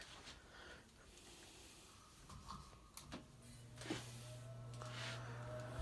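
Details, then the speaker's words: Patton High Velocity fan, likely 1990s, as found, below about 50 °F: steady low motor hum on high speed, no rattle or scrape; normal on high, though it rattles on medium from motor play. "And we'll turn it back around. We'll run it for you here. Again, that first speed was high."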